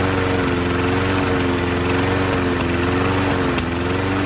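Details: 2001 Scott's by Murray self-propelled FWD mower (228670X8A), Tecumseh OHV engine, after carb clean/swap, linkage and idle adjustment, new air filter and fuel line: steady even single-cylinder hum, no surging or misses; normal running.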